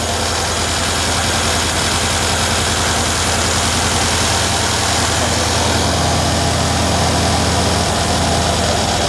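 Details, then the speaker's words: 2012 Mercedes W212 E63 AMG V8, injector connector unplugged on one cylinder to demonstrate: lumpy, uneven idle with irregular shake in the exhaust beat; dead cylinder misfire, as with the car's cylinder 8 fault causing rough running and check-engine light. "8기통에서 하나에 이렇게 그 인젝터 선을 뺐어요. 시도를 한번 걸어볼게요. 어떤 증상인지 봐봐요. 그냥 잘 될 뭔가 좀 거칠지 않아요?"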